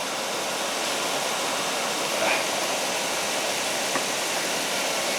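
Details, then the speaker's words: 2005 Lexus RX 470 with codes P1445 and P1442, engine running, secondary air injection pump activated during test: loud, steady blower-like rushing hiss; downstream oxygen sensors go lean, showing the pump's air flowing. "my Downstream my Downstream uh oxygen sensor should go lean now you can hear our pump is running my sensors are lean"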